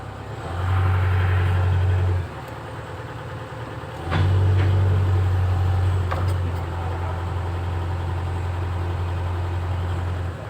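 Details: Komatsu PC130 excavator after freeing a sticking safety-lock solenoid, started to test if it moves; steady low diesel drone, revs rising and settling as machine moves, auto RPM on; engine and hydraulics sound normal.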